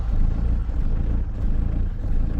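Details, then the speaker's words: Diesel van just fitted with a new lift pump, fuel filter and fuel solenoid; low, lumpy idle that surges unevenly while the new pump purges air and builds fuel pressure; rough running while the fuel system primes. "just going to let her CH for a bit cuz this is obviously the new pump so she's jugging which is obviously she's going to do anyway"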